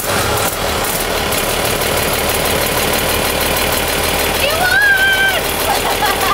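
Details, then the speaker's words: Overhauled 230HP Mercedes diesel boat engine on first test run after restoration, recorded in the engine room below full throttle: steady, even clatter with no misses or knocks; running healthy. "मैं ऐसा कर रहा हूं इसके काम करने और engine room के अंदर इंजन की फुल थ्रॉटल सुनने से बहुत खुश हूं, यह अभी फुल थ्रॉटल भी नहीं है और यह पहले से ही सुपर रोमांचक है"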